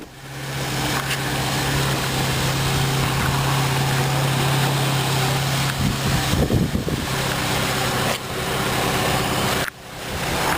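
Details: 2003 Saturn VUE AWD, 2.2 L four-cylinder, just started: steady, even idle with a low hum and no knocks or misses; engine sounds healthy.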